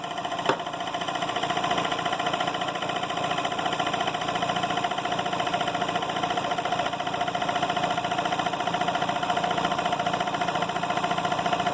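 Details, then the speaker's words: Emglo K15A-8P air compressor converted to start/stop operation, with the valve closed: after bleeding off pressure, a click, then the motor settles into a steady, even pumping run with a mid hum. The pressure switch cuts in properly. "I'm going to turn it on if should not kick on because we're at pressure I'm going to bleed off pressure until the switch kick"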